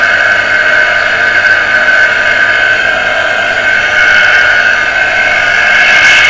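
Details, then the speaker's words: Water pressure pump motor that had only hummed and not started, heavily jammed and beginning to free up after servicing, run on socket; loud steady whirring hum with rough gritty edge, no variation; still dragging on stiff bearing. "क्योंकि बहुत ज्यादा जम हो गई है motor थोड़ा थोड़ा free होना शुरू हो गई है"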